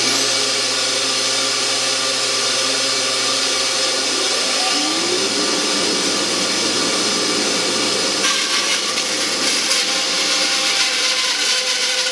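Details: 1948 Delta/Rockwell Milwaukee 14" band saw after tune-up with new urethane tires and tension spring, running with dust collection: steady motor hum and even cutting hiss, no knocks, thumps or wobble; normal cutting.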